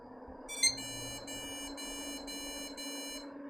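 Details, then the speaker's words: Budget custom gaming PC restarted: quick repeated short high beeps instead of a single beep, though it posts; cause unknown. "uh it's posting but i don't like them beeps"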